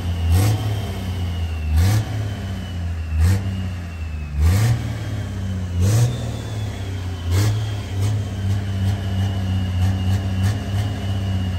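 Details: Freshly installed 1500hp Cummins diesel, just over two minutes into the run without coolant, good oil pressure, hot idle about 30: deep even idle broken by sharp blips every 1.5 seconds, returning cleanly. Normal hot idle and revving.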